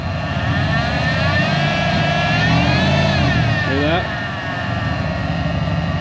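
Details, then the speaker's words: Truck revved up: a high supercharger-like whine rises and falls with revs over the engine note; a belt-driven pulley on the stretch-belt setup is suspected. "it sounds like it has a supercharger on it which like I said we're going to pull it out here in a minute"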